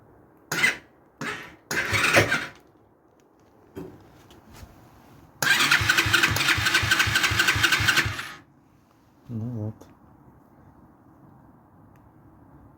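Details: BSE PH10 125cc pit bike after replacing the starter chain tensioners. The earlier starter knock came from a tensioner that had come off. A few short starter bursts, then a steady, even idle with no knock on engagement; starts clean.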